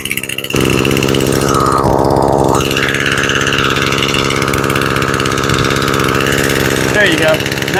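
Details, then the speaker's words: Echo SRM 225 two-stroke string trimmer after carburetor rebuild, choke off: steady buzzing even idle, slightly high but smooth; running cleanly, idle adjustable by one rear screw. "Now you can hear her. She sounds nice and steady. Idling just a touch high."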